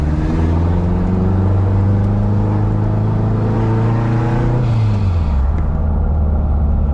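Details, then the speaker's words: K20 turbo Honda EF sedan on a hot day (about 94-95F), driven after checking downpipe and axle clearance. A steady drone or whine while rolling in neutral fades out at low speed; a speed-dependent drivetrain noise, source front/rear or left/right unclear. "[Music] it's still there I can hear it rolling in [Music] neutral I don't know if you guys can hear it [Music] low speed you can't hear it at all"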